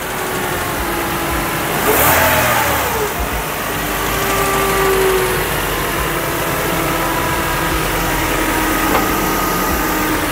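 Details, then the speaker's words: 1999 Honda Civic EX after replacing broken, loud rocker arms; clean quick rev blip settling back to a quiet, even idle with no valve-gear clatter. "Wow. Yan dapat ang tunog. Ganyan dapat ang tunog. Wag, ganyan dapat ang tunog."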